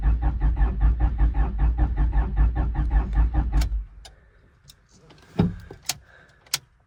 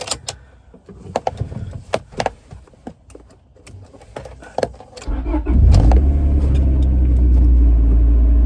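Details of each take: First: First start attempt on a wrecked, long-sitting 25-year-old Honda with possibly dead battery: slow, even cranking for about three and a half seconds, never fires, then click; crank no start, owner suspects moisture in distributor cap, fuel pump not heard. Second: Wrecked 25-year-old Honda, newly reassembled: a few clicks, then engine catches at once and settles into smooth, even idle with 63 psi oil pressure; normal start and idle, warming up.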